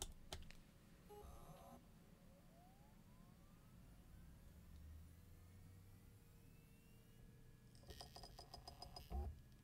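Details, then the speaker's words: Seagate Exos enterprise data-center NAS hard drive, with noise boosted in post: a faint rising whine as the platters spin up, then a quiet steady hum with soft clicks as the drive settles to a normal idle. "keep an ear open for the spin up sound because remember this is an enterprise level disc and the noise will be noticeable"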